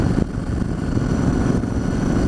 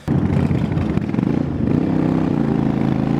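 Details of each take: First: Yamaha Virago XV1100 V-twin after replacing the regulator rectifier to cure a long-term occasional cough and splutter on one cylinder (stator tested fine): steady, even beat with clean low rumble, no stumbles; running nicely. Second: Yamaha Virago XV1100 V-twin running lumpy, intermittently coughing and spluttering on one cylinder; long-term issue despite good stator, 13.6 V at idle, fixed by replacing the regulator rectifier.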